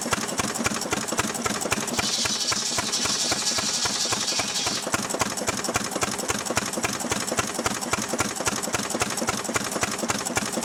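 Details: Restored 6 hp Fairbanks Morse Model Z stationary engine running on kerosene, driving a buzzsaw cutting firewood: steady, even firing about 220 beats a minute, saw hiss biting in briefly; normal, healthy running under load.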